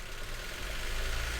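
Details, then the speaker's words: 2016 Honda Civic 1.5 petrol at idle, flashing engine light: rough idle stumbling unevenly, still misfiring on cylinder 3 (P0303) after parts on cylinders 1 and 3 were swapped. "So the car is still clearly misfiring."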